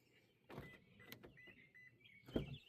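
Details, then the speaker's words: 2022 Toyota Corolla Hybrid door after replacing the door lock actuator: a solid thunk, two short high chirps, then another firm lock clunk as it locks and unlocks; normal door lock actuator operation. "and it also unlocked. Try it again. Lock. Unlocked. And I can hear it actually locking inside of there."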